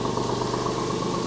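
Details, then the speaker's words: Porsche 996 at first start after an engine-out service with new lifters and IMS solution; oil up to pressure, even steady idle, loud exhaust from a muffler-bypass pipe, no misses or knocks. Some lifter ticking was expected. "oil is up to pressure which is nice sounds good remember this engine does have that Gunn hack exhaust system so that's why this exhaust is so loud"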